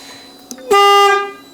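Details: Aftermarket Denali Bomb horn fitted to a Yamaha FZ6 motorcycle, first test: one loud, clear, steady half-second blast with a strong tone; it worked this once, then stopped, and the owner suspects the wiring.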